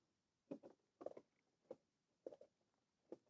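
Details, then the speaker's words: Mercedes R107 HVAC side vent vacuum element tested by pushing the actuator by hand in a quiet cabin: five soft, separate clunks about half a second apart as the vent flap moves freely, showing normal vacuum vent actuator operation. "See? And you can hear that it's working up inside there."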